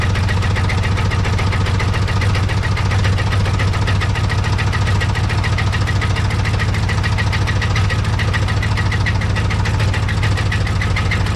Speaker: Got the key in the ignition, so let's see if she starts, and then you can hear how bad it rattles.